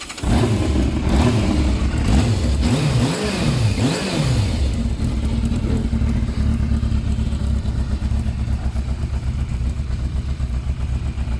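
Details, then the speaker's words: Yamaha Thundercat 600 inline-four that just passed its MOT, stock exhaust before the swap to a racing exhaust: blips up and down smoothly, then settles to a steady even idle with no knocks or rattles; the stock exhaust is very quiet. "I'm gonna do a sound test we're gonna hear the old exhaust this one"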